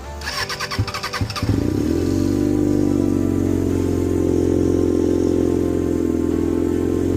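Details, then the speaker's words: 1992 Suzuki Katana 750F four-cylinder during restoration: starter churns, engine catches and holds high steady fast idle; idle too high, owner suspects choke adjustment. "It shouldn't be accelerated like that. I just had to adjust the the choke, I'm pretty sure, cuz I started moving this and I've never adjusted a choke and I saw it adjusting on the carburetor."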